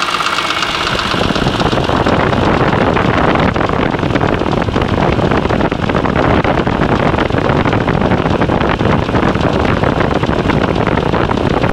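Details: BMW E46 M3 after a broken rod and piston, rebuilt on a used block with the original head, VANOS and cams: dense metallic rattle runs steadily over the six-cylinder since the rebuild; source unknown, top end suspected.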